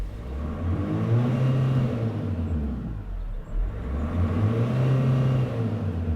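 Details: 2002 Renault Master 2.2 dCi, in the shed after EGR valve work: revs climb and fall back cleanly twice, smooth even pull with no hesitation or misfire, little smoke; engine running healthy.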